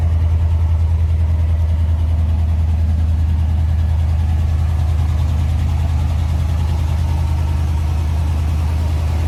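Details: 1992 GMC Sierra 3500HD dually restoration truck running after a new fuel pump, fresh gas and a disabled alarm system; deep, steady low rumble, even rhythm, no misses, knocks or stumbles: normal idle.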